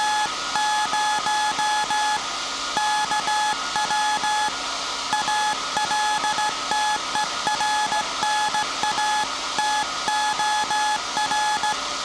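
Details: SAQ Grimeton 1924 Alexanderson alternator, 17.2 kHz VLF CW centennial transmission, punched-tape transmitter soon handing over to manual telegrapher keying; clean steady mid-pitched beeps with crisp on-off gaps over faint hiss; normal Morse keying.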